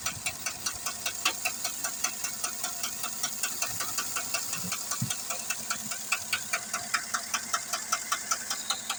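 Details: 2008 Chevrolet Tahoe 5.3 V8: sharp metallic tick about two and a half times a second over the idle, steady but slightly uneven; source unclear.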